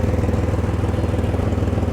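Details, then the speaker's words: 1999 Chevrolet Camaro with both fuel lines disconnected and zero psi fuel pressure keeps running at a fast, steady, slightly lumpy idle; owner suspects it is burning fuel carried in the engine oil. "the crazy thing is right here zero psi nothing and she's still running"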